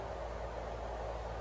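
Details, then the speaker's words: 1950s GE box fan with diffuser grill running after blade balancing: steady even whoosh with low hum, no wobble. The hub was off-centre on the spindle and shook badly; two shelf clips added as counterweights fixed it. Bearing still has play, motor loud. "but now it runs nice and smooth with these two shelf clips on here"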